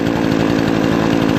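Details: Brand-new Remington Outlaw RM4620 20-inch gas chainsaw after its first start: crisp, even two-stroke buzz at steady high revs, no misfires or surging; running cleanly and healthy.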